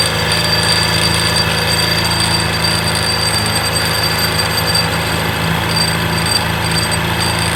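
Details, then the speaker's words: Honda Beat New scooter with a customer complaint of "krincing" noise. After removing and separating a part so nothing else moves, harsh uneven metallic jingling still rides over the running engine. The mechanic concludes it is an intruder: a loose broken fragment rattling inside. "Oke jikalau masih itu timbul suara berat saya pastikan itu suara penyusup"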